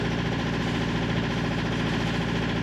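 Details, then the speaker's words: Marine diesel on a 1965 Albin 30 sloop, after valve adjustment (valves were way out), high-pressure pump reinstall and bleeding to the injectors: steady, even diesel clatter at settled idle, no misses; runs normally but is still hard to start. "still pretty hard to start we'll see now that I've got the whole system bled all the way up to the injectors but um she's running"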